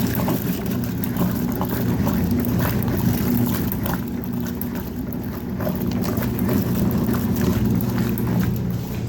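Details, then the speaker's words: Vintage Whirlpool washing machine on its first fill, fed from a garden hose and not holding water well, with a little soap: steady back-and-forth agitator sloshing over an even motor hum, agitating normally. "I'm just going to feed them in there. And just look at how well that does. It's freaking destroying those."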